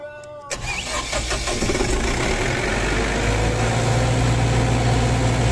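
A steady cranking rhythm of about four pulses a second runs on without catching; the genset turns over but won't fire. Cause suspected, not confirmed.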